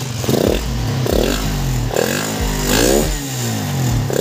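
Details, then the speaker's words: Suzuki Satria FU150 after repair of a rough engine noise: quick rev blips rise and fall cleanly, very smooth with no ticking at all. "Dan di sini sudah suaranya sangat halus ini guys, gak ada ngeletik sama sekali guys."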